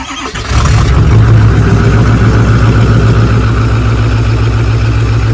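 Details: Ford 6.4 Powerstroke diesel with cracked pistons; the turbo was found not to be the real problem. It clatters into life and settles to a heavy, lumpy idle with an uneven low pulse.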